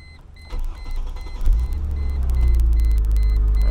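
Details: 2005 Chrysler Crossfire SRT6 (3.2 supercharged V6) after a fuel pump and filter replacement, with the pump primed: it cranks briefly, catches and settles into a steady, even idle with a deepening rumble; a clean, healthy start.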